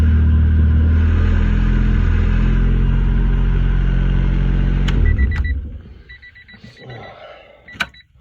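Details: 1994 Honda Civic hatchback after ignition lock cylinder replacement for hard starting: smooth steady low idle hum about five seconds, then clean shutoff and a few chimes; normal idle.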